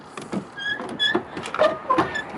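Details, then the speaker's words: Truck door swung on its hinge after wiping it clean and applying a good amount of white lithium grease; it is nearly quiet, with only a few faint, short high chirps left. "I I'm putting a good amount of that on there and as you can tell that'll almost quiet it"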